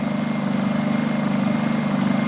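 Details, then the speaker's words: Honda EU2000i generator on propane conversion with modified carburetor, eco mode, no load: low, even hum with gentle steady pulse and small vibration, same as on gasoline; normal eco-mode idle. "I'm under the conclusion with everyone else that that's exactly how they run in eco mode. There's a small vibration, so no big deal."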